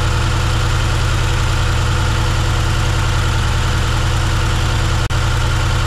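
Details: 1971 C10 V8 first start, cylinder three dead, lifters possibly misadjusted, later cylinders two, four and six found near zero compression: lumpy, uneven loping idle with hollow stumbling exhaust; rough idle, low compression.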